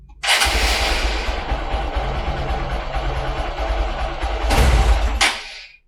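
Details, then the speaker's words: Hero Xpulse 200 single-cylinder after a wash and a short ride. It runs rough, stumbles when the throttle opens, then cuts out. Owner suspected water in the fuel tank reaching the carburetor, and this was confirmed. "so this is the problem i'm facing whenever i'm trying to twist the throttle uh the engine cuts out and so i suspect the problem would be that some amount of water actually got into this fuel tank and is actually now in the carburetor now"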